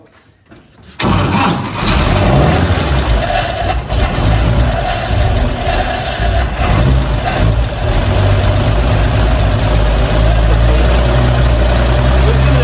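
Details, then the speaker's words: 1954 Chevrolet 3100 truck, original 235 straight-six converted to 12 V, unrun since 1978, fuel tank flow just freed; 30 lb oil pressure. Catches after a brief crank and settles into a steady, even idle with no knocks or misses; normal idle. "listen to that these things want to live they don't want to die"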